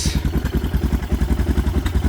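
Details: Suzuki DR650 single started after winter following fuse and battery replacement, choke pulled; even, steady thumping about nine beats a second with no misses or clatter, idling cleanly, normal idle.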